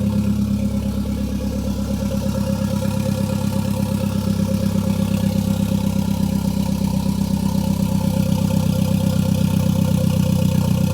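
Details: Gen5 Toyota Caldina with MR2 engine swap, first start with no exhaust fitted: loud, raw open-pipe idle with an even, crisp pulse about four per second and no misses; engine running healthy.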